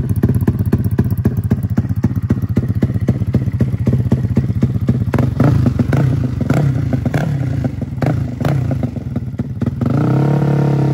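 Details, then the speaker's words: Freshly built custom 300cc big-bore Honda Grom single with stroker crank, just started before dyno tuning: uneven lumpy firing that stumbles and surges instead of settling; rough running, tune still needs work, stalls when cold. "so I got to work on the tune it's still kind of stalled when it's cold but I'm really just starting it and getting it running right now"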